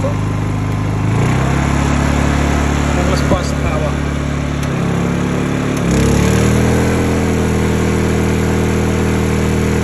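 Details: Honda EU2000i (EU20i) generator, eco ("rabbit") mode toggled, after a stale-fuel rough-idle fix; smooth, even idle hum that settles into a steadier, firmer note as load comes on, running clean. Normal idle.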